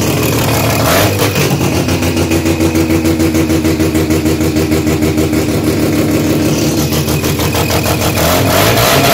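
Car engine revving with a sharp, rapid puffing and ticking edge from an exhaust leak.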